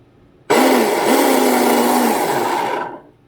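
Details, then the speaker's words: TP Power 4060 motor with Swordfish 200A ESC in Deltaforce 35 RC boat, 4S battery, bench run: fast steady whine over gritty hiss; owner suspects the rear motor bearing is starting to go bad. "i think my back bearing sounds like it may be going out going starting to go bad so i may need to replace this bearing in the tp power"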